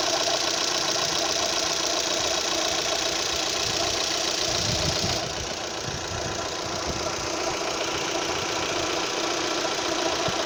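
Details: Opel Z18XER engine at idle: fast, fairly even light ticking, three or four a second, over a steady idle, heard only at idle; owner suspects the camshaft phaser, unconfirmed.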